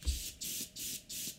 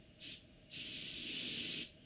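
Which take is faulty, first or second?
first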